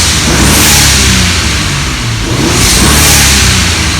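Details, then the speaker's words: BMW E36 with N54 twin-turbo swap, free revving stationary before limp mode sets in: strong, even revs rising and falling cleanly with no misses or rattles, reaching 10 psi boost; healthy turbo engine revving. "It feels really strong now. It feels really good. You can see that it's hitting that 10 psi."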